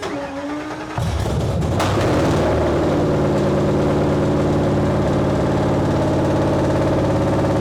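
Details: 1931 Ford Model A with 800hp Ford Coyote V8, started without coolant in engine or intercooler on a 55°F day in the shop: brief crank, catches and settles into a steady even idle, no misses or knocks; normal start and idle.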